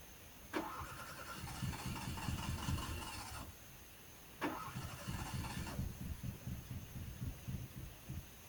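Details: Fiat cranking: two bursts catch briefly on a few uneven pops, firing on only 1 or 2 cylinders, then die; won't start. Owner unsure, suspects old spark plugs or wet wires.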